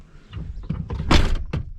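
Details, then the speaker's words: 1995 Chevrolet Silverado door after new latch and handle installed: light handling noises then one solid clean thunk as the door latches first time with half the handle travel, no rattle or rebound. "she just shuts so nice oh no did you see how much handle I just used that's half handle"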